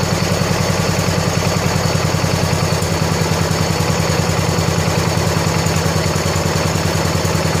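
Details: 1970 John Deere 140 H3 garden tractor single-cylinder after new head gasket replaced a severely leaking one: steady even thumping idle at constant speed, no knocks, misses or hunting, runs quiet while burning off some oil; normal idle.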